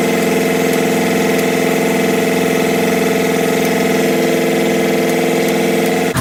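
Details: WMT 4-115 diesel, first run in three months, out of gear: steady, even idle with smooth low drone and no knocks or misses, then shut off.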